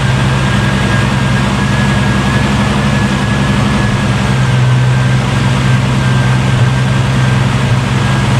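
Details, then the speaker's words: Holden VL Turbo Commodore after a temporary CDI ignition upgrade wired inline with the trigger wires: a little hard to start, then smooth, steady low idle with even firing, no misses or knocks; trigger pulse confirmed working. "Alright, so it was a little hard to start, but it started up, so it's obviously getting the trigger pulse"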